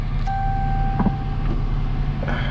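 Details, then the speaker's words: 2018 AWD police Dodge Charger started after installing a GPS tracking/fuel pump disable system, confirming the fuel pump gets power; steady low rumble at fast idle with a dash chime, no stumble or knock, a healthy cold high idle. "we're running. We're just going to let it run for a little bit here and kind of come down off high idle before I do this."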